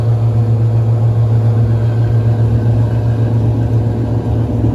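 Loud steady low roar with a constant deep hum through the spin, typical of worn drum bearings grinding under load.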